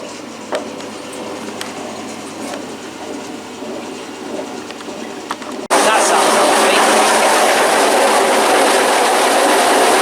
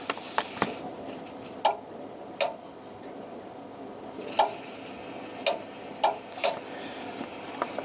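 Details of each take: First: Washing machine during spin: quiet at first, then a sudden loud roar with a fast even rattle about three times a second; excessive spin noise, cause unknown, spin turned off. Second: Washing machine pressure switch tested with air through its tube, pressure chamber fine: crisp single clicks at uneven intervals over a quiet room as pressure changes; switch responding normally.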